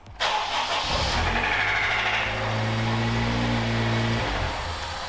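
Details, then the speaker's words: Honda Integra DC5R with K20A2 engine, 250,000 km: petrol engine fires up, blips, then idles roughly with a deep knock underneath; clear rod knock. "yeah uncle rodney no good so she has quite evidently got rod knock"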